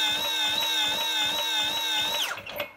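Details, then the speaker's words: Almost-new Stihl BR450C two-stroke leaf blower with electric start, choke on: the electric starter whines steadily with a faint pulse for about two seconds, then winds down, with rattling inside the engine. It cranks but does not start; the fuel is checked next. "Y no pasa nada. (ruidos de traqueteo dentro del motor) Y eso no suena bien por cierto."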